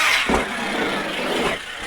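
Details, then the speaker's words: Arrma Kraton 6S electric RC truck after shimming rear differential spider gears: steady rushing drive noise under load, gear mesh sounds slightly different but fine, earlier clicking noise gone. "Mesh definitely sounds a little different in there. But it doesn't sound bad. But the clicking noise is gone."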